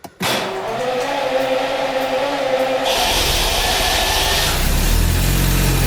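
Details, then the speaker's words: Classic Jaguar V12 started during winter storage after priming: starter cranks briefly, then it catches and settles into a smooth, even fast idle with no knocks or misses; oil pressure comes up; healthy start. "but yeah it's coming into life all pressure is coming out this old b12 it starts up just make sure it gets really full up warm"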